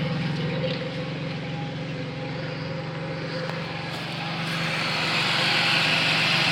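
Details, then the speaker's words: Pontiac Bonneville 3800 after upper/lower intake repair, radiator flush and oil change: steady, even idle with smooth low drone, no misfire or coolant in plugs; normal idle, head gasket suspected at first but not the cause. "seems to be running pretty good now there's no more misfire or anything there's no coolant getting into the plugs"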